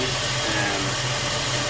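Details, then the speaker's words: 1999-2004 Jeep Grand Cherokee WJ 4.7 after high-pressure power steering hose replacement and bleeding: smooth steady idle while turning the wheel, no whine or groan from pump; power steering quiet and working normally. "So, uh, yeah, there was no, you know, no noise when I was turning the wheel."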